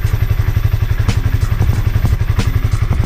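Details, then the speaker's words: Honda CB150R single-cylinder after over five months on 100% cooking oil as engine oil, mic moved closer; steady, even low thumping at relaxed idle, no knocks or rattles; owner thinks it's even smoother than before. Normal idle. "cuman Abah masih haluskan tapi saya kira malah lebih halus ini Mbah daripada sebelumnya"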